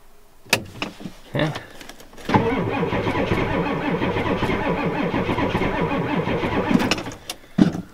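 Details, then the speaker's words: Ford F250 7.3 IDI diesel at 12°F, injectors frosty, after glow plug cycle: starter drags the engine slowly and unevenly for several seconds without firing; the battery lacks the oomph to spin it fast enough to start. "um i thought it would probably start but the battery hasn't got enough oomph to roll over the engines because these engines have to roll over really fast in order to start"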